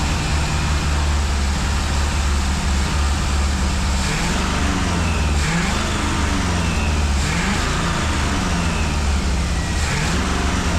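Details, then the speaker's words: 1965 Ford 289 4-barrel V8 for a 1955 Ford pickup, now with exhaust fitted, warming up: deep rumble that hunts and dips every second or two; it won't idle and a carburetor rebuild kit is on order. "um we can't get it to idle so we've got a carburetor kit coming for the carburetor but uh we're gonna go ahead just run it and uh warm it up again today uh for you guys"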